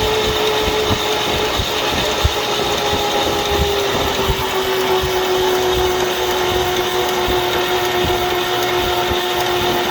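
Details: 1941 GMC one-ton pickup, 230ci straight six, first start attempt in about 20 years on weak battery with charger: steady starter whine with slow uneven compression chuffs; cranks but never catches.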